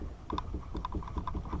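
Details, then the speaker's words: 2005–2010 Mustang GT front sway bar rocked by hand: quick hollow clunks, often in pairs, from worn, hardened, shrunken sway bar bushings letting the bar move; replaced with 34mm polyurethane bushings. "and hear the clunking when it does move back and forth. And they shouldn't do that."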